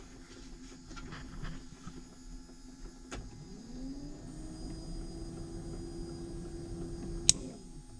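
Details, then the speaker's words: New Holland TM120 tractor cab blower, ignition on; the blower was blowing its 25 A fuse. It hums steadily for about five seconds, then a snap with a flash as the fuse burns, meaning a short somewhere in the circuit. "so our blower ran for about i don't know five seconds and then you saw that little flash pull that fuse back out there you can see how it burned up and that's what a fuse is for quickly that means short somewhere"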